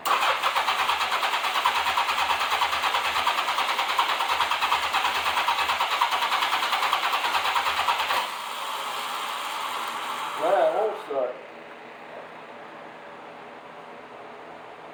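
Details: 1987 Honda Gold Wing GL1200 with reported electrical problems, carburetted, after adding gas: the starter cranks at about three even beats a second for eight seconds but it never fires; owner suspects it may be out of gas.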